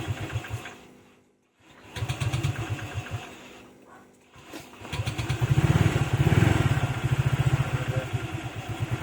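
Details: Honda PCX 150 scooter that starts hard and stalls at idle: the engine fires, putters unevenly and dies twice before restarting.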